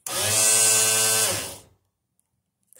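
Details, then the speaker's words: Garage door opener plugged in without the wall switch on: the motor whirs up to a strong, steady high whine with gears turning, then spins down, but the track doesn't engage; suspected crossed wires or track-to-motor gear misalignment. "you can clearly hear that the motor is really strong strong in there the motor there's gear there's gears turning in there it sounds strong but it's not engaging"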